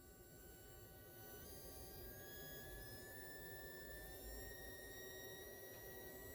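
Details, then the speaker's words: Test circuit driving an IRFZ44N MOSFET from a power supply: thin high whine with faint tones climbing in pitch as current is raised with the potentiometer; sound changes with amperage, supply problems suspected. "if I'm changing the the potential meter the amperage is changing and the sound is changing you can hear"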